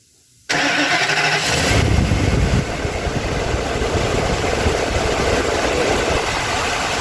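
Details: 2005 Ford F250 6.8L V10 3-valve, 599,000 miles, P0354: after start, idle stumbles with skipping pulse; misfire at idle, suspected poor coil connector contact, noid light blinks; coil pigtail later replaced.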